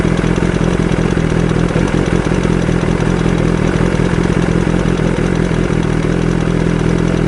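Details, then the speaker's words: BMW S1000RR engine with a worn camshaft leaving a gap between the rocker arm and cam: a fast, light, clattery ticking over a steady idle. The camshaft needs replacing, and the part ships from Germany with COVID delays. "ロッカーアームと、カムシャフトの間にはい。隙間ができて、はい。カタカタカタカタ音が鳴ってるみたいなんです。"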